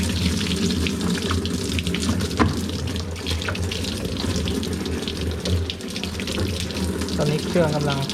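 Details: Hitachi SF-160XTV 16 kg washing machine, in for a would-not-power-on fault, with steady rushing water filling the tub over an even low hum and no hammering or sputter; fill working normally.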